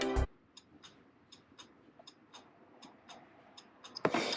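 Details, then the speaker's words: Mazda R100 hazard switch flasher relay bench-tested on a 12 V battery, positive to B terminal: faint steady clock-like ticks, two or three a second, a good relay cycling normally. "you can kind of hear it uh ticking it sounds kind of like a clock if you pay real close attention to it"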